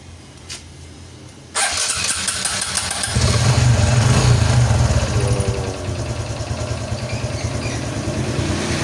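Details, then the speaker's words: Honda XRM125 FI after tensioner removal and oil bleed at the number-ten bolt: fires after a short crank and settles into a smooth, even idle, earlier coins-rattling noise gone; healthy. "So yan lang mga bro yung andar, no? Hindi, wala na yung kanina na parang ang daming barya sa loob. Yan, so tahimik na siya."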